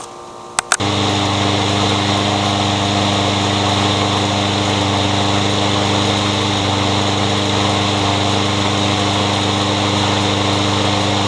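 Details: Curb-found Troy-Bilt 21-inch self-propelled mower with a newer Briggs engine, blade having hit a railroad tie: starts, runs rough and uneven at three to four pulses a second, backfiring; owner plans to check timing and feels the blade hitting underneath.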